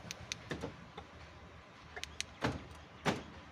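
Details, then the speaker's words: Ford EcoSport with a no-start, dead central locking and fault code U201F13 (external receiver failed), after the fault was fixed: quick clicks and clunks as all door lock actuators cycle; central locking working normally. "இப்போ நம்ம அந்த ஃபால்ட்டெல்லாம் கண்டுபிடிச்சிட்டோம். கண்டுபிடிச்சி இப்போது பார்த்தீங்கன்னா பாருங்கள், central லாக்லாம் work ஆகும்."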